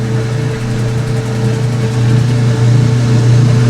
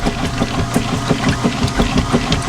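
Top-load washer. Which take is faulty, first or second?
second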